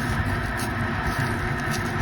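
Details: Walcker pipe organ blower in a church, motor working properly: steady rushing roar of air with a low hum and a thin whistle on top; noise comes from the flexible corrugated blower hose.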